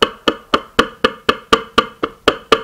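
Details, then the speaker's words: Blown HDC3 12-inch subwoofer with 3-inch voice coil, cone separated from the spider; sharp even clicks about four a second as the cone is pushed, the voice coil rubbing the inside of the motor. Needs a recone. "hear that clicking noise what that clicking noise is is see this coil it's rubbing the inside part of that motor"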